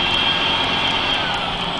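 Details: Mercedes-Benz 3340 truck diesel: steady piercing high whistle over the engine rumble without wavering, from a failing turbocharger.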